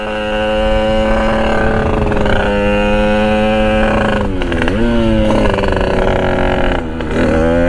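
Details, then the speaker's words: Sherco 50 SM supermoto with 77cc Metrakit two-stroke, clear float bowl, riding at part throttle: uneven blubbery cackling, crackling note as it loads up rich on the pilot circuit, still dumping fuel; wide open is fine. "Yeah, it's kind of making that kind of cackling, crackling sound because it's loading up. You can hear it's all loaded up."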